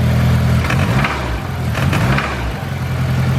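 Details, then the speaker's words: K24-swapped AWD Honda EK sedan after track use, smoking badly with no oil in catch can: petrol engine blipped lightly with sharp knocks breaking through when revved; engine is hurt. "When you do rev it up a little bit, you can hear the knocking."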